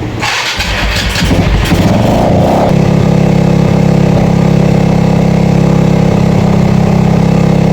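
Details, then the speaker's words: Yamaha FZ that would not start, after cleaning the carburetor (old choke not working) and draining water from the fuel tank: cranks, fires and settles into a steady, even idle hum; normal start and idle. "So lalagyan natin to ng gasolina. Umaandar na yan mga boss."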